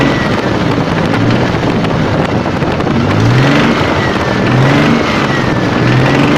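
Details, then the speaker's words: Toyota 7M-GE just started: steady running with a faint, uneven light tapping underneath. Specialists say it's the crankshaft, but whether the knock comes from the crank or the cylinder head is unresolved. "Вот, слышно подстукивание. Что оно такое, будем разбираться."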